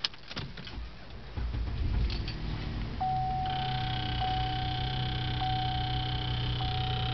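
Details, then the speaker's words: Salvage 2012 GMC Acadia Denali, 527 miles, with blown airbags: engine catches and settles into a steady, even idle while a dash warning chime repeats about every second; runs fine, normal start and idle. "You see, it's running just fine."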